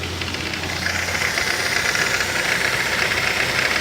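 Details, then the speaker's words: 2008 Ford Focus 2.0 16V Duratec automatic: quiet in neutral, but rapid uneven tapping about four per second over a hissy running engine when shifted into gear; mechanic suspects the timing chain or something external; engine knock when engaging gear. "ilitar com um problema é que quando está em neutro e câmbio automático quando ele está em neutro ele não fazia um barulho no momento de colocar em t ou em here o motor fica fazendo um barulho semelhante a quando tem a coragem de bater esse motor"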